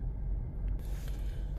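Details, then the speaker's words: Mazda CX-5 2.0 idling with check engine light, codes P0302 cylinder 2 misfire and P2302 ignition coil A secondary circuit; non-original coil fitted; low uneven idle rumble with stumble and shaking; misfire persists after clearing codes. "Ramdam na ramdam mga katropa yung ano yung palya niyang ano ayan nanginginig-nginig kasi nga meron siyang missp sa number"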